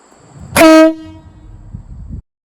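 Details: Roughly 2-foot air horn on a Toyota with a snapped timing belt, test blast: one loud, steady two-note blast about a third of a second long, clean and strong; normal air horn.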